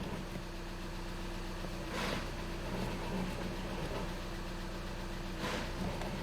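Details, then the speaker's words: VW Jetta TDI manual diesel idling in neutral: steady rough grinding under the hood layered over the knock, changing with the clutch pedal; defective throw-out bearing. "yeah so the customer is complaining about that noise okay and this noise is caused by a throw out bearing"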